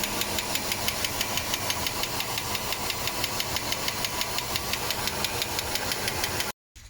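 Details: 1987 Mercedes W126 560 SEL V8 at idle, rocker cover on, some oil smoke: sharp loud metallic ticking about three per second from the top end; owner suspects the camshaft needs replacement or regrind, not confirmed.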